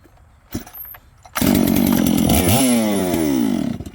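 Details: Returned chainsaw, reported as a no-start, started a fourth time to show it runs. Pull-start clatter, then catches, screams up, holds a high buzz and falls back toward idle. Normal running.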